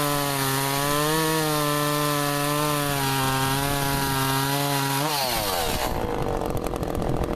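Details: Echo CS-400 chainsaw cutting pieces in about 40-degree weather after chain sharpening and adjustment; high steady engine note dips only slightly under load then drops off cleanly, pulling well on a sharp chain.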